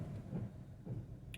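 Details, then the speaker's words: 2008 Hyundai Accent 1.6 running with a deep, uneven rumble and a heavy lump about every half second, severe vibration, and the check-engine light coming on; single-cylinder misfire, codes P0301/P0302. "esto está bien grave este vehículo vibra demasiado"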